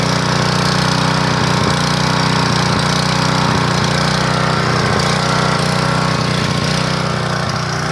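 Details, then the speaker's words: 1997 3000-watt portable generator, sat 20 years with old gas: loud, slightly uneven pulsing beat that never settles, only about 115 volts output; hunting from a varnished, pitted carburetor. "kick this thing on you've listened to you hear it struggling it can't seem to govern itself because the carburetors in such a bad shape"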